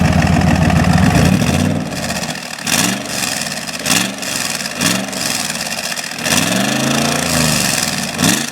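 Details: 1972 Chevy Corvette with LS fuel-injected V8 swap, 4-speed automatic and custom side-pipe exhaust, recorded near the pipes while warming up; steady even lope at idle and clean throttle blips that settle smoothly: healthy.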